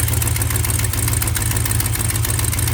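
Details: 1976 Plymouth Gran Fury wagon V8, tick developed on a long road trip: deep, even idle with a faint, quick, regular tick over it; owner thinks it is an exhaust leak and plans to try oil additive.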